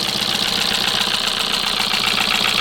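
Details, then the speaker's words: 2025 Kia Soul with 12,000 miles, sludged from constant idling and low oil, warranty denied: rough idle with smoke and a constant sharp, fast clattery chatter, possibly plus a broken motor mount; valvetrain clatter from oil starvation. "But you hear how bad that thing sounds? I mean, it is just clattery, chattery."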